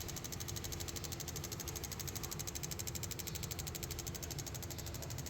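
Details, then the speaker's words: Toyota Passo 2016 1.0 with pickup and misfire problem: carbon-clogged fuel injectors, after ultrasonic cleaning, on a test bench give fast, even clicking over a pump hum, all spraying equally; normal spray. "Spray ट मशाला okay है छह के छह जो फर है बिल्कुल बराबर स्प्रे कर रहे हैं"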